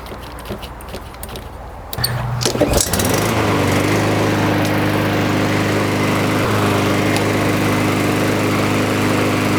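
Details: Lawnmower that would only run on starting fluid and then died, after a carburetor clean and a recoil repair: it catches at about two seconds and settles into a smooth, even, steady run with no misfires. Normal running after the repair.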